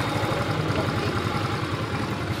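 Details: Motorcycle running after its local-made pinion gear was removed because it was rubbing and prevented kick-starting: a steady low putter at idle with even firing and no scraping or rubbing. The bike is running normally.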